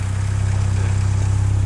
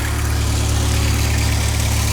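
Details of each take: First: MK2 VW Golf GTI 16V, warm engine, after adjusting the idle screw for rich running: smooth idle at about 1,000 rpm with a steady, even low pulse, no misses or knocks; normal warm idle. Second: MK2 VW Golf GTI 16V running rich, warm engine: idle rises to a slightly faster hum after the red and black idle-stabilisation lead is unplugged, before adjusting the idle screw down.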